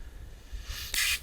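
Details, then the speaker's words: 5/16 inch maple sap tubing under vacuum: thin airy hiss swelling briefly as air is sucked in through a hole chewed by animals, heard while walking the ladder line; fix is cutting out and replacing tubing and fittings. "Follow the ladder line up, as you're walking, listen for vacuum leaks. Often leaks will be found by sound before they're seen."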